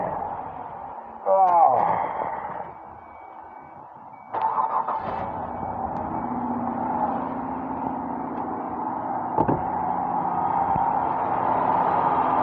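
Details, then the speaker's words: 2004 Ford Escape after repair with new spark plugs, coil packs refitted and intake reassembled: starter grinds briefly, engine catches and settles to smooth even idle; earlier knock on cylinder two gone. "there we go idling down doing what you're supposed to be doing no more knock knock knock knock"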